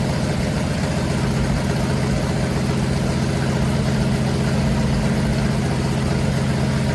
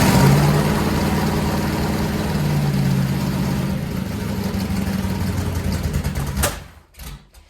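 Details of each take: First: Freshly built 500 cubic inch stroker big block Mopar V8 on a run stand, first start after advancing the timing to cure a carburetor backfire: steady even low rumble with no misses, pops or knocks; normal idle. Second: Freshly built 400-to-500 stroker big-block Mopar, first start on a run stand: rough, uneven running, then a sharp pop and the engine dies. Carburetor backfire from retarded ignition timing, timing then advanced clockwise.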